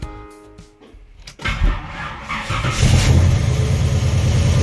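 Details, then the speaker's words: 1974 Nova with 454 big-block (7.4L) V8, Edelbrock Performer intake, over 37,000 miles, full cold start: fuel system primes, short crank, then a deep, steady, even idle with no knocks or misses; healthy engine on its last run. "when I turn the key the fuel system does prime so you'll probably hear that that's the temperature so it is a full cold start okay"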